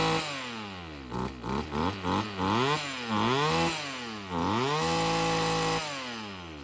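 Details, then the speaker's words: Old Husqvarna weedwhacker two-stroke after carburetor replacement with kit: revs up and down in quick blips, then holds a clean, even high scream with no stumbling; runs properly. "It runs like a husky one. Like it sounds like it's going to blow up. I think we're good."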